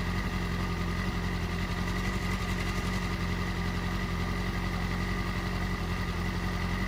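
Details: 2008 Yamaha R6R four-cylinder with a manual timing chain tensioner installed: smooth, even idle with no timing chain rattle.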